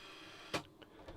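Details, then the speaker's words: Hitachi TRK-8000E radio cassette with a no-play fault: faint tape whir, then a sharp click and silence as the rewind switch springs back and shuts off like a momentary switch; the switch likely needs adjusting. "okay and Rewind again yeah so every time we press rewind the switch seems to come back again and turn itself off"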